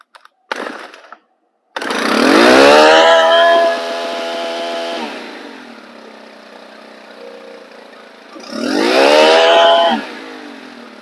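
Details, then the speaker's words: Stihl FS 110 four-mix trimmer engine with an air leak: revved sharply, then hangs at raised speed before slowly dropping to idle; low mixture needle responds wildly. "i'm going to rev it up and i'm going to let it come to idle and listen for how long it takes for it to come to idle"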